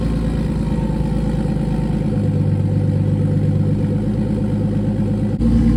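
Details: BMW E46 with turbo M52B28 swap, not started in a few days, cold start idle: loud raw steady even idle through open exhaust (no downpipe yet), no knocks or misses; running fine.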